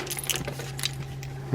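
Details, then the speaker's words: Abu fishing reel sent in with non-working drags needing new drag washers, shaken by hand: sharp metallic clicks and jingles as something loose bangs around inside, cause not yet known. "this one sounds like something's banging around in there in addition to drags. Not quite sure what that is, but we'll find out."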